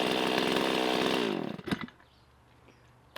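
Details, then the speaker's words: Rebuilt Stihl professional chainsaw (MS260 or MS360) first run after rebuild, kept off wide open throttle to warm up and break in; smooth even two-stroke buzz about a second, no misfire or rattle; normal running. "Awesome. Well, so far so good. One thing to note here, it is very tempting to do a repair like this and just go wah, wide open throttle, and you just, I mean, I want to right now, but you need to leave it alone for a little bit, let it warm up, let those rings break in."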